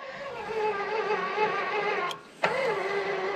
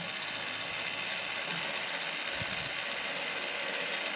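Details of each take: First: Walker zero-turn mower implement-mount linear actuator labouring with a person standing on it: steady motor whine dips, strains, cuts and restarts heavily in both directions; suspected friction in the ball screw rather than weight. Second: Walker zero-turn mower implement-mount linear actuator with a ball screw: smooth, even high-pitched whir with a fine ratcheting texture as the screw travels. It sounds quiet and works; normal actuator operation.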